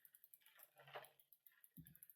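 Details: Cube bike after rear derailleur indexing adjustment, with some earlier grating blamed on chain wobble and the chain slightly over-oiled: light, even freewheel ticking with a clean chain run and no grating or skipping; gears shift properly.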